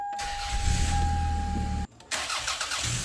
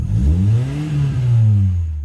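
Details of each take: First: Engine started right after replacing the exhaust manifold gasket, cleaning carbon from the flange, replacing rusted bolts and torquing to 36 ft-lbs. It catches and settles into a smooth idle with no ticking or puffing at the manifold. Exhaust leak fixed, normal running. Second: Car with exhaust leak, fumes entering the cabin: short rev rising and falling with a harsh, loud exhaust note; a blowing exhaust manifold gasket.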